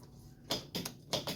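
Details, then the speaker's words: Blade 150 / RZR170-clone UTV, 150cc GY6 shortcase engine, previously seized; lights on, neutral, e-brake set: two pairs of sharp clicks half a second apart with no cranking; starter clicks but engine won't turn, previous owner had removed the starter. "We just get clicking. So previous owner pulled the starter out, so we'll do that quick."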